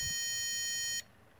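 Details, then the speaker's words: Inverter run from a home-built D-cell Maxwell Boostcap supercapacitor pack, discharged to about 10 volts at about 0.1 amp: a single steady, shrill beep about a second long, the inverter's low input voltage warning before shutdown. "you should hear the inverter beeping due to the low voltage and I'm gonna keep it going until it shuts up"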